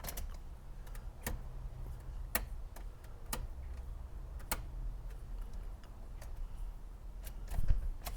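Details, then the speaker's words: 1982 Chevy pickup, key turned to try starting on a bottle fuel feed: scattered sharp clicks with no cranking; starter not engaging because the battery ground cable was left unhooked. "Old battery. She's dead in a mackerel because well, not really dead. I forgot to hook up the ground. Forgot I unhooked ground the other day."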